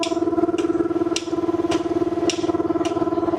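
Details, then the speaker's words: Graco LineLazer V 200HS line striper, engine RPM raised after choke, valve opened to engage piston pump: even rhythmic stroking about two to three beats per second over steady hum as paint primes through unit; normal pump priming. "open the valve to engage the Piston pump you'll hear that start stroking straight away and now we know that paint should be priming through the unit"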